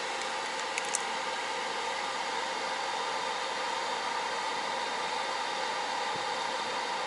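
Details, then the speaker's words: Newly installed TABODD 12V 5kW diesel air heater mounted in a camper, being tested before final wiring: steady, even roar of rushing air with no surging, knocking or rattles; normal running. "But I got the unit all mounted in there. You can hear it running and everything, and I thought, you know what?"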